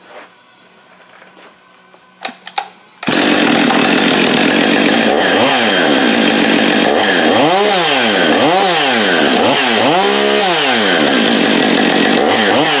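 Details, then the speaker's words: Husqvarna 562XP chainsaw after repair of a suspected air leak and compression issue, starting after a few pulls: revs up and drops back cleanly to idle repeatedly without stumbling or bogging; no more air leak, running right. "yep that's gonna be a good runner right there that sounds right comes right back to idle the way it's supposed to"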